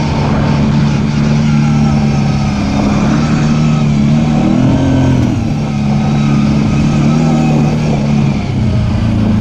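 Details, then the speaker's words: Off-road machine with a CVT, on its first trail ride after being brought back to running, warning light on: engine note climbs and sags without pulling harder, never taking up the load. The drive belt was slipping and later broke. "Dang it, I know what that is. That's the belt. That light's been on and it's slipping."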